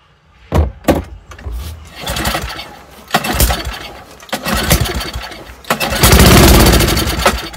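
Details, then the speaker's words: Old Toro snowblower with Tecumseh engine, sat over a year, primed: several pull-start bursts, then it catches and roars about a second before fading out and won't keep running; fuel reaches and floods the carburetor, carburetor issue suspected, not confirmed. "Start die. Okay. So I'm guessing we got a carburetor issue here."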